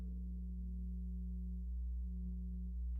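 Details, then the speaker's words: 1957 Gibson EB short-scale bass: a steady low mains hum with a buzzy overtone from its noisy single-coil pickup, measured at 32K, with the volume and tone controls up and the bass not being played. "This is the single coil pickup. This is noisy. You can hear it humming."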